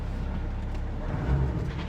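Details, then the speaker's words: Mercedes straight-six saloon with glass roof, just started to move it; deep even rumble settling to smooth idle, no knocks or rattles; normal idle. "that's fire it up shall we need to be moved anyway out the way that sounds lovely"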